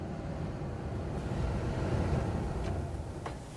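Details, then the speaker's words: 2011 Ford Fiesta heater/AC blower motor, newly installed, tested with battery briefly reconnected before reassembly; steady, even low whoosh as the fan spins up and runs smoothly, no squeal or ticking. Blower motor working normally. "I want to know before I go any further if this fan is going to work. I don't want to put everything back together and then there's something not right. I hear it. Yay!"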